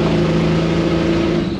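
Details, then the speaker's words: 1979 Ford F-100 351M after Motorcraft carb rebuild and tune-up, leaking intake gasket, at full throttle under load: rough, uneven popping, no power, breaking up; owner suspects flooding fouling plugs causing misfire, not confirmed. "I'm thinking it's getting so much gas dumped into the cylinders right now, it's fouling the, like it's making it miss spark."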